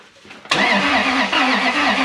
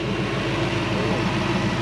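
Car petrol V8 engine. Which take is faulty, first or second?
first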